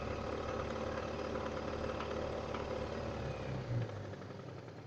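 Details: Light, fairly regular engine knock, about three to four per second, over a quiet idle note on a 491GW engine; cause unknown.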